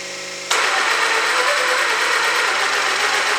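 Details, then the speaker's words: Traxxas X-Maxx RC truck after a jump landing, three tires held: motor spins up to a steady high whir with no load or grinding, pinion turning but no drive to the wheels; owner suspects the center differential. "so i'm gonna hold three of the tires as hard as i can you'll see that pinion is for a turn but uh yeah she don't go"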